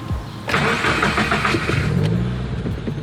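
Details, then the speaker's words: Subaru WRX on first start after DW65c fuel pump and COBB Flex Fuel kit install: starter cranks about a second, then the engine catches with a brief stutter before settling to idle; fuel pressure then reads good. "it's a little bit of stutter but i'm going to log let's see"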